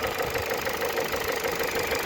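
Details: 2012 Ford with robotized gearbox, inspected for resale, after restart: steady idle with a sharp, evenly spaced light tapping about four to five a second; engine knock at idle, cause not found.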